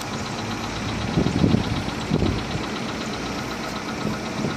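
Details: Volkswagen Polo 6R engine at 46,000 km, idling: irregular dull knocking bursts rising out of the hum; worn pistons and cylinders, fixed by replacing the piston-cylinder group.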